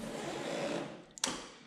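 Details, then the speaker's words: Carbureted Honda Shadow motorcycle after four months standing, ignition on, engine off: the fuel pump mounted low on the bike gives a soft hum, then sharp ticks as it lifts fuel with each click, choke pulled. The owner suspects stale petrol. Normal priming. "Ето това е горивната помпа. Този мотор е с горивна помпа. Намира се ето тук долу."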